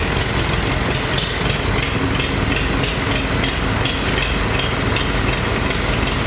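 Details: Farmall 350 diesel with new push rods, on first runs: uneven, loping idle with one cylinder seemingly dead; it fires on all four only when lugged hard in 5th gear, misfiring at half load or less; cracking number one injector didn't change the tone.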